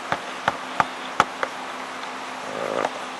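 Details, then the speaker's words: PS3 Slim CECH-2002x 120GB Blu-ray drive after removing two stuck discs and resetting the drive; a few soft, irregular ticks as the laser seeks, then a short spin-up whirr, reading the disc normally. "it's reading the disc fine as well so we have successfully removed foreign objects there are two discs stuck in the blu-ray drive severe successfully removed the disc"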